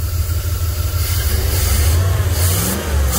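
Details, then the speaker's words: 1998 Jeep Grand Cherokee Limited 5.9 V8, 119,000 miles, abandoned five years: runs on its own but surges and lopes unevenly; still rough from stale fuel being purged. "oh wow this is the nicest it's run on its own i know it's still running bad but this this is uh this is pretty good"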